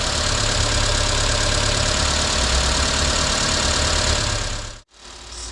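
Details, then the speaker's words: 1990 Renault 5 1.4 CAT, C3J Monopoint engine, at operating temperature with the electric fan just switched on; steady, even warm idle with no misses, all cylinders firing. Its fault is bucking and three-cylinder running once warm, then stalling. "Cela signifie que le moteur est définitivement à température de fonctionnement fonctionne toujours bien."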